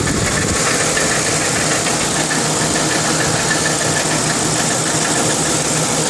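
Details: 2002 Lincoln Town Car at idle with fast, loose ticking in the exhaust note that goes away when driving; caused by failing driver's side catalytic converter, replacement stopped the knocking.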